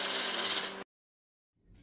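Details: Prototype Lesley 108cc air-cooled V12 two-stroke model engine, fuel pressurized by a miniature electric pump through a common rail: a short burst of high-pitched, buzzy multi-cylinder howl at high revs that cuts off abruptly. It runs smoothly and evenly.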